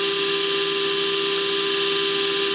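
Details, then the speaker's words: Belt grinder tracking wheel after the fix: bearing tapped in about 0.030 from the wheel edge so the race no longer rubs, at 7,900 surface feet per minute. Steady high whine with even hiss and no rubbing; some vibration from shipping damage. "so i tapped the bearing in about 30 000 away from the edge of the wheel and that seems to have done the trick running like a champ"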